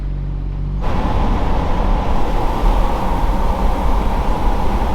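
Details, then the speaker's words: Dodge Cummins diesel truck with a newly fitted downpipe and exhaust brake: off throttle, the quiet diesel drone jumps to a loud, steady exhaust roar as the exhaust brake engages; it works normally. "breake works that's nice that's that's on and off of the throttle yeah it's just on right there"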